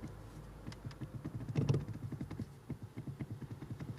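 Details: Nissan Primera P12 steering column: rapid dull clicks, about five a second, as the loose inner column shaft (two telescoping shafts at the bottom) is rocked up and down by hand; knock from the column, not the U-joints.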